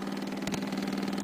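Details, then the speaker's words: Nitrous system fuel pump under the seat/tank, armed by toggle switch; steady low electric hum as it draws fuel into the system. Running normally. "When you hear this, when you turn that on, you'll hear the fuel pump running underneath the tank, and you know your system's ready to go. That'll turn the fuel pump, which you can actually hear running"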